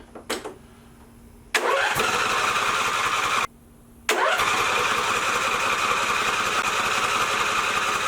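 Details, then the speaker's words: Lawn mower engine started an hour after reassembly with silicone, choke on and brake set, and always needing many cranks: cranking bursts, a brief catch that dies, then it fires again into a rough, steady run; hard starting. "Now I'm gonna be honest. This thing's never been the easiest thing in the world to start. It's always taken like a lot of cranks."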